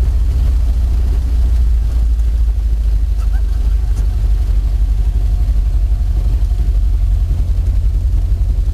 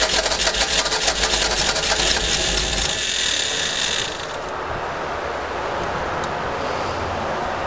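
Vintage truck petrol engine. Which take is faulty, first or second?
second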